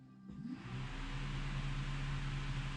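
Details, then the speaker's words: Budget Honda Civic D16Z6 build on its first start on a MaxxECU, testing ECU outputs: the radiator cooling fan is switched on by the ECU and spins up to a steady, even whirring hiss, confirming fan control works. "can obviously hear it come on. So we've got control ability."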